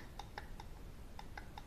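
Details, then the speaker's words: NOEBY JG2500 slow-jigging reel cranked hard; light clicks about five times a second from too much play in the handle shaft. "take a look off on this push-up there's too much play on this"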